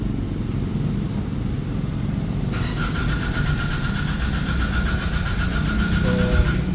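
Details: Nissan Navara diesel, towed in from another shop, won't start: steady cranking without firing, with a beeping tone. Remaining codes are power circuit, boost/air pressure sensor and accelerator position sensor; blamed on a defective boost sensor.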